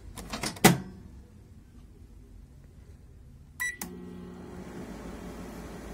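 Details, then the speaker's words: Daewoo microwave that shut off instantly: after realigning the lower door switch, cleaning contacts and replacing the power switch, door clunk and beep then steady low hum and even fan whir; now running normally. "que aquí lo tenemos trabajando normalmente el switch de abajo se pudo haber encontrado desalineado y se apagaba inmediatamente ya lo alinee lo volvió otra vez a armar"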